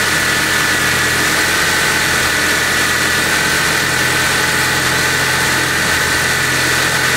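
Steady high whine sits over the engine as it runs, holding a clear pitch; a whine from the belt drive, cause unconfirmed.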